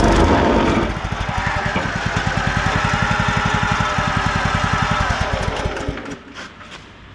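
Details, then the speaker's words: Wacker WP1550 plate compactor bought cheap at auction, after belt work and re-torquing: engine picks up and the plate settles into a strong, even thump of about four beats a second, steady throughout; clutch engages and it works as it should. "does exactly what it's supposed to. It's not how I planned on doing it. It is working."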